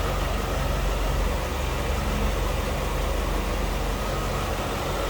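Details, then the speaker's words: 1995 Chevrolet Corvette C4 convertible, apparently stock 350 V8, running at idle: smooth, even low rumble with no ticks, misses or knocks; normal healthy idle. "hear it run sounds like a stock C4 to me I haven't noticed any major modifications on this"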